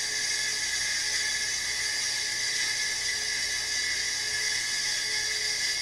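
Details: Hard drive refitted in a Power Mac 7200/75 running Mac OS 8.1: a loud, constant, high-pitched whir with a harsh rasping edge, like a small saw; a worn, failing drive that still somehow functions.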